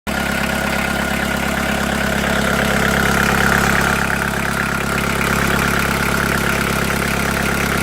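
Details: VW T4 1.9D diesel, ticking appeared after oil change, noticeable at 2000 rpm, first suspected hydraulic lifters: steady run with light even rattle about three per second; teardown found piston pin knocking, overhaul needed.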